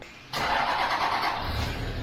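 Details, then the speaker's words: Toyota Land Cruiser Troopy with about 500,000 km at start-up for a test drive; a loud shrill screech over the start-up then eases off, caused by the wrong air conditioning belt fitted. "first thing that happens he starts it up and the thing scream because that damn air air conditioning belt is the wrong one"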